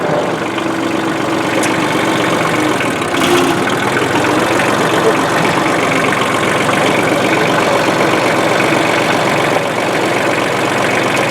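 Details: 1994 Ford/New Holland 1715 compact diesel tractor after its rusted, stuck clutch was replaced: a steady, even idle with a smooth chug and no knocks or rattles. This is a normal diesel idle.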